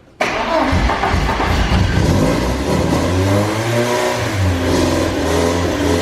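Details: Porsche 944 race car, full exhaust with header and resonator, first start: fires abruptly then revs surge and sag unevenly, never settling to idle; crew suspects fuel starvation and plans to check fuel rail pressure.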